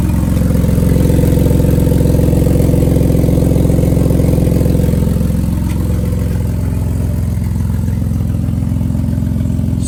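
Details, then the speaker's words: Jeep Liberty petrol engine at idle before a cheap exhaust-tape repair: a loud, deep rumble with a raspy, puffing edge from an exhaust leak. "it's got an exhaust leak."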